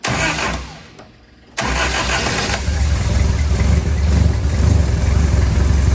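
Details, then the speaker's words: Barn Sprite (Austin-Healey) with a newly installed 1275cc A-Series engine, first start: cranks, catches after a brief lull and settles into a fast idle; the idle is set too high and the throttle needs backing off before setting the timing. "Sounds like the engine is idling too high, so I need to back off the throttle just a little bit."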